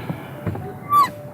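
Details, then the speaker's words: 2017 UAZ Patriot clutch pedal squeaks as pressed: one short, high metallic squeak dipping in pitch, the dry return spring rubbing bare metal where it meets the body with no grease; fix is lubricating the spring contact points. "А теперь всё это дело закрываем и переходим к сцеплению. Оно у меня тоже скрипит."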